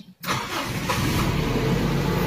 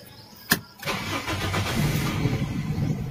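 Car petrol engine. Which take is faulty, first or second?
second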